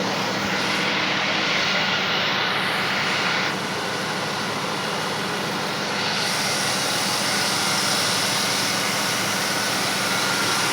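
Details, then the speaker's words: V6 Mustang drift build at idle: loud steady rushing hiss over an even idle, constant throughout; air sucked in through broken vacuum lines; vacuum leak. "can hear all of our broken vacuum lines just just sucking in air straight from the universe"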